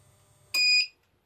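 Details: Jaycar MP5207 UPS after replacing its two dead batteries, running without mains at about 95 V: one sharp high beep, then a softer short chirp after a pause, over a quiet inverter hum; the UPS runs on battery normally.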